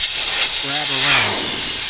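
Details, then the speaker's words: Jeep Wrangler with 5.7 HEMI: steady loud hiss as air rushes from a tire with the valve core removed, airing down; tire whistles when nearing target pressure. Normal airing down. "right there I took the valve stem right out now we're going to leave it right in there and as soon as we get to where we want to go we're going to just put it right back in"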